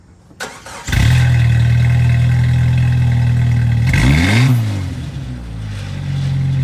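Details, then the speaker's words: 2.5L Jeep Wrangler TJ, cold start with a new Thrush welded muffler replacing the rusted-out, holed one. It catches after a brief crank into a deep steady exhaust rumble, a short blip, then an even idle without rattles; normal cold start. "so the next day I got the new muffler I'm gonna start her up on a cold start start"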